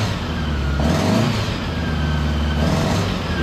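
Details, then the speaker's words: 1975 Honda Gold Wing, all original, 32,000 miles, just after installing Dynatek electronic ignition and new coils; previously a little hard starting, now starts immediately. Steady, smooth idle, no misses or stumbles. Normal idle. "okay so I started it up it started up like [Music] immediately I'll show you"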